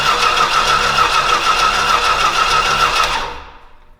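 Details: Old Stewart & Stevenson aircraft tow tug engine, being revived and given some fuel, catches and runs unevenly about three seconds, then fades and stalls; fuel problem suspected, plan to pull a plug to check wetness.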